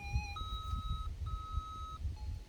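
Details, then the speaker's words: Minelab SDC2300 metal detector at startup, after the EMI button is pressed: clean electronic beeps step through different pitches as it scans frequencies. EMI noise-cancel frequency scan. "now the sec is going through all the different frequencies and it will find the best frequency for us right here where we are now we'll go through them all once it's finished it takes about a minute"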